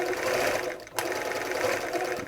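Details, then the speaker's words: Bernina 930 Record Electronic sewing machine, threaded and stitching zigzag at steady speed: an even, fast clacky mechanical clatter with no grinding or knocking; it sounds good, with top tension slightly loose. "yep that's sounding pretty good there the tension is a bit loose on the top I'll just tighten that up a little bit they are a little bit noisy but clacky clunky these machines when the needle positioning of the stop needle stopper is coming in but very nice to use"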